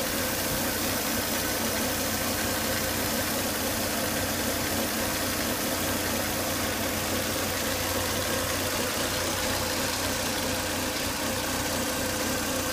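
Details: Volvo S80 2.5T with high crankcase vacuum, sucking air hard at the oil cap, noise starting after 10–20 minutes' running: warm idle carries an airy, hissing whine. Faulty breather box/filter, solved by replacing it.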